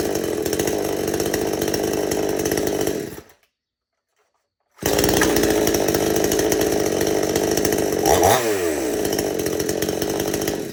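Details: Chainsaw after the idle speed screw was turned in slightly, carburetor jets untouched: runs steadily with a crisp buzzing two-stroke note, briefly cuts out, then restarts and settles smoothly; normal running, properly adjusted.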